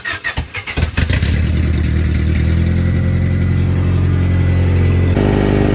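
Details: 1994 Honda Accord F22 engine after fixing a rod knock: starter cranks briefly, the engine catches and settles into a steady, even idle with no knock; normal start and idle after repair.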